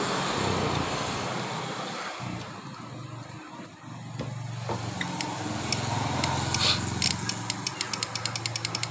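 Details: Honda Beat scooter whose electric starter sometimes works and sometimes doesn't: rapid sharp clicks, about five a second, with no cranking. The owner says tapping the starter lets it start; the starter/dynamo area is suspected, not confirmed.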